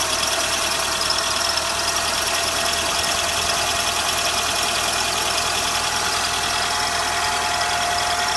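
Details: Renault Sandero at 55,000 km, cold start: steady high-pitched squeal over the running engine for 10–20 seconds. Alternator belt squeals when cold; replacing the belt at 65,000 km stopped it.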